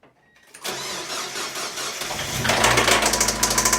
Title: Rod Knock